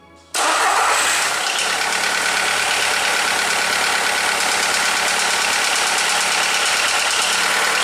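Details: Skoda (likely Fabia) 1.4 16V petrol starting and idling: hollow, uneven knock underneath, piston slap from worn pistons; pistons replaced.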